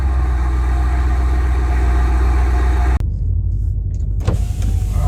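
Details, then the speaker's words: 2006 Pontiac GTO with new Pacesetter headers and mid pipes, cold startup: deep even V8 burble at fast cold idle, steady with no ticks or misses; normal cold start idle, healthy exhaust. "sounds great for the outside especially in the cold startup and my neighbors are going to love me for this"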